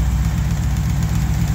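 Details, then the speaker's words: 355 V8 on a run stand (bored 30 over, TRW forged pistons, 4-bolt main, forged crank, COMP 268H cam, about 350 hp). Steady, smooth idle at about 1000 rpm with 40 psi oil pressure and no knocks; the engine smokes a little. "holding good at 40 pounds of oil pressure at about a thousand rpm this is a real nice engine we got here"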